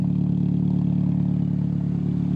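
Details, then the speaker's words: Car engine, cold, just repaired after running rough, misfiring and smoking. It now holds a steady, even, low idle with no misses or knocks and no visible smoke. Smooth normal idle; behaviour once warm is still untested. "got a smooth idle that's good that's real good"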